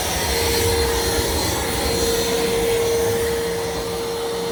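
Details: New iRobot Roomba Plus 515 vacuum-mop combo resuming cleaning after returning from the dock, with freshly wetted mop pads, during an obstacle-avoidance check: steady even motor hum, constant mid-pitched whine, soft brush swishing; cleaning normally.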